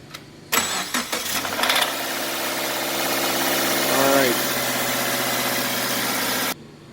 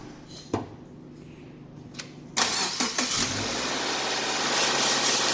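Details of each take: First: Subaru (XV/Impreza/Forester/Outback type) cold start after sitting a few hours: brief metallic rattle fading within a second or two into steady idle, from a bad timing chain tensioner. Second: Subaru (XV/Impreza/Forester/Outback) cold start after replacing the bad timing chain tensioner that caused chain rattle: engine cranks briefly, catches and settles into a smooth, even idle with no rattle or knock.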